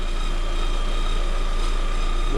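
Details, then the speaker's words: 2021 Lada Vesta, about 3000 km, at idle: steady high whistle from belt drive, owner suspects alternator or idler roller; tolerable for now, not yet serviced. "вот такой вот свист но в принципе пока терпимо"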